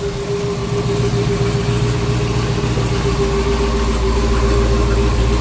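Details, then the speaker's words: Custom twin-turbo Hellcat V8 with single Comp cam, cold start: steady, even, quiet deep idle with a faint constant tone, slight turbo noise and a hollow manifold sound; runs smooth, no misses. "this is a cold start but as you guys can hear run pretty smooth"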